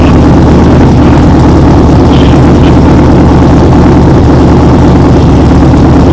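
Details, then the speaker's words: 6.0L V8 Pontiac Trans Am, warm, just fitted with a new budget true dual exhaust: deep, loud, steady throaty rumble with heavy low end and no knocks or misses; a healthy engine. "wow that sounds amazing it is loud it sounds like a proper that's far now yeah I'm glad I did this oh yeah it sounds really cool"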